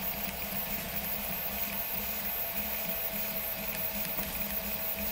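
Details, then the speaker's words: Eclips3D prototype 3D printer with 1/32 microstepping at essentially full print speed: soft steady stepper hum with light rhythmic whirring, no knocks or grinding; normal quiet printing. "So here we go. This is going at essentially full print speed"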